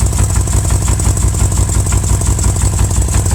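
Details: 2000 BMW M5 at idle: a fairly even knock about three per second over a low rumble, suspected to come from the bottom end; the source is not yet pinned down.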